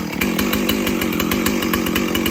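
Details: Stihl 034 chainsaw, cleaned up; steady strong running with crisp even buzz and regular firing, no stumbling or surging; normal running.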